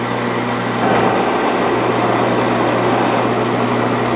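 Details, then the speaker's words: 16-inch Axelson lathe, gearbox running: even motor hum, steady gear whine over a rushing hiss, no knocks or grinding. Gear noise improved, though oil is suspected to be needed and the spindle brake is not engaging. "The noise gears are better. I still think you need oil."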